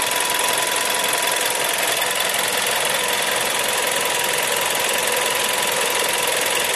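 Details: Seat Leon 1.4 TSI 140 engine, warm idle: constant high-pitched metallic rattle with fast ticking on top, little low rumble; abnormal noise, cause not identified.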